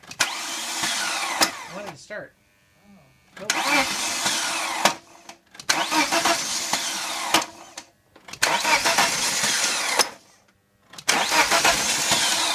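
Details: 1998 BMW 318ti M44 engine hard to start: four or five separate starter cranking bursts of a couple of seconds, with pauses, never catching.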